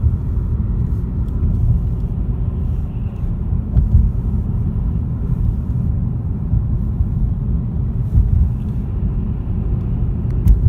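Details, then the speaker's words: 2015 Ford Mustang 2.3 EcoBoost at town speed just off the freeway: steady low droning hum with no knocks or clicks, with a slight vibration felt. Tyre or wheel noise; owner suspects a bad wheel bearing, cause unconfirmed. "hopefully you're hearing what I'm hearing kind of a kind of a tyre will noise I mean it could be anything to be the tire and wheel could be general hum"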